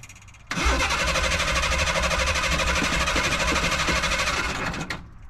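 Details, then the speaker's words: Ford Bronco II with a LeSabre radiator, battery believed okay: harsh rattling cranking for about four seconds with uneven thumping but never fires; abnormal cranking noise, no start; a very loose part under the hood is suspected. "Whoa, that doesn't seem right. Well, it was worth a try. Let's pop the hood and see if there's anything we can do to make that awfulness stop."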